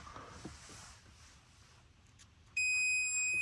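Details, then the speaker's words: 1964 Ford Galaxie, multimeter on continuity with probe touched to ground in car while checking horn wiring: quiet shuffling, then a sudden steady high beep that holds unbroken; ground path is good. "And if I touch one of the wires and ground it, it should go off. The meter should go off."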